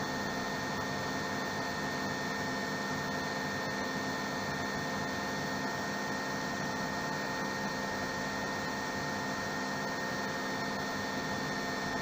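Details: RO plant digital panel, high-pressure pump switched on after raising its ampere setting to 1.5 A so it no longer cuts out: constant even hum with faint high steady tone, no cutting out or surging. Normal running.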